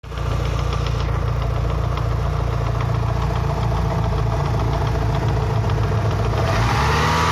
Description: My engine developed this quite audible knocking sound after the last track day. This is during engine warm up at about 75-80degC oil temp.